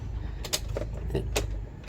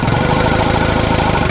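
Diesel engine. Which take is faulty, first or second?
second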